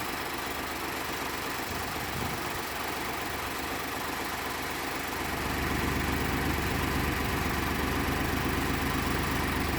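Cold engine idles with a steady, slightly uneven shake; the note gets heavier about halfway through, consistent with a rough cold-start idle.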